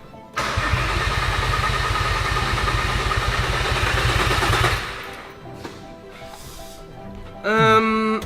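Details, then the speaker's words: VW Caddy van with a swapped-in 3.2L VR6 from an Audi A3, unsure whether the fuel pump is priming: steady cranking at about four beats a second for four seconds, no firing. No fuel is reaching the engine. "well, I I think I we definitely know what the problem is. I I think the problem is no fuel. Like, that's definitely the issue."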